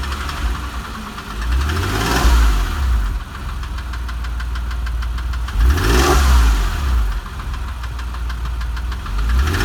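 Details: Porsche 996 3.4 engine rising and falling in speed with a light, quick top-end ticking that follows the revs; cause unknown.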